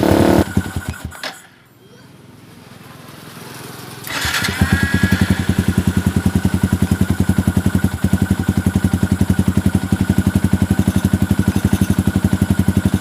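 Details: Yamaha Xabre fuel-injected motorcycle stumbling at low rpm and stalling on slight throttle, AFR above 16:1: cough, restart, then uneven loping idle; lean misfire from suspected fuel-supply shortage, broken O2 sensor wire found.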